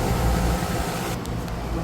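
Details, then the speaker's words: HVAC unit with dual-voltage blower motor on a new motor and pulley, spinning counterclockwise at 4 amps, possibly the wrong pulley; fan motor and two compressors running: steady, even low hum, no knocking or rattling; sounds normal. "We got a fan motor going. We got two compressors moving."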